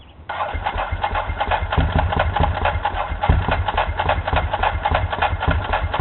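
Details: 2004 Ducati 999 V-twin engine swapped into a 1997 748 frame, with new plugs and fresh gas. Starter churns it over in an even rhythmic chug, but it never catches or fires: crank no-start.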